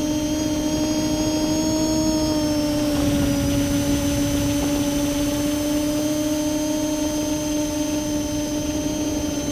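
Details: Multirotor with camera tilted 15° down causing bad vibrations: steady high whine with a strong tone near 300 Hz and higher tones, uneven buzzing motor sound; owner suspects ESC or motor bearings, unconfirmed.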